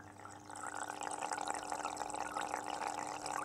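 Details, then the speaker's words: Aquarium internal filter with a venturi snorkel above the water surface drawing air into the outlet flow: a constant gurgling hiss over a steady low hum, quite noisy for a living room or bedroom; normal venturi air-intake noise. "you can hear they're quite noisy um and I tend to have my aquariums in either the front room living room or bedroom so not really the kind of thing you want when you're trying to be quiet"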